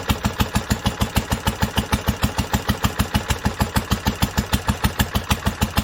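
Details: 1946 International Harvester LBB 3-5 hp water-cooled single-cylinder engine, first cold start after sitting covered a long time, started on the next pull after two choked turns; steady, even firing about three beats a second, clean rhythm, no knocks, healthy.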